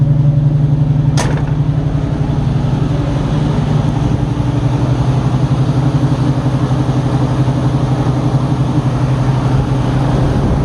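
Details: Carbureted Fox body with two chambered Flowmaster mufflers (2 or 2.5 inch, owner unsure), cold start after sitting, needed several pumps: deep even V8 burble at steady idle, no misfires or knocks, warming up fine.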